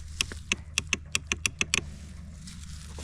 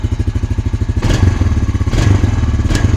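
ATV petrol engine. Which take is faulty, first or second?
first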